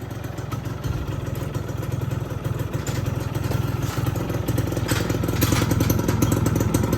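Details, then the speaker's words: Yamaha F1ZR two-stroke after repair of the crankcase bearing housing worn loose by a knock-off bearing; the starter was slow after long disuse. Crisp, regular idle with faint roughness attributed to a non-original alternator. Engine now quiet; normal idle. "Bisa nih. Tadi nggak bisa starternya. Ya suaranya udah adem."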